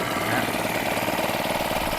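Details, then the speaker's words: Honda WJR4025 backpack sprayer with GX35 four-stroke engine (40 bar pump), just after a cold start on choke then choke closed: quick, even, soft idle with steady firing pulses and no misses; normal idle. "เสียงนุ่มๆเสียงนุ่มๆป่ะ"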